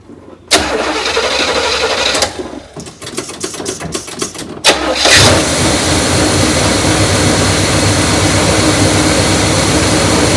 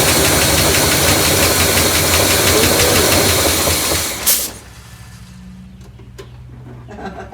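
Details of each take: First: Neglected 1972 Buick Riviera Boat Tail big block, parked about 5–7 years: after cranking unevenly it catches and settles to a steady, even idle, no racing. It runs to test the carburetor, charging system working, coolant slightly low. Normal idle. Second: Neglected 1972 Buick Riviera Boat Tail big block, parked 5–7 years, running on gas poured into the carburetor: loud, rough top-end clatter for seconds, then it dies. Oil pump hasn't caught its prime, slightly hydraulicked. Valvetrain clatter from low oil pressure.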